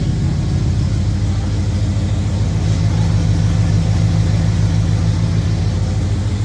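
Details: 1971 Oldsmobile Cutlass, carbureted, just started after sitting, with a different battery; deep, even idle holding a steady beat, no stumble or hunting; normal idle.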